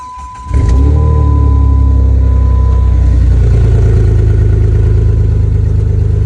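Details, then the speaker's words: 2004 Jeep WJ (Grand Cherokee) starts and settles into a loud, deep, throbbing rumble as exhaust escapes through a big hole in the rusted-through muffler; the tailpipe dangles and rattles while driving, and the muffler is due for replacement. "Here you can see the old one pretty much just rusted away. that big old hole where the exhaust is just coming out, making a bunch of noise."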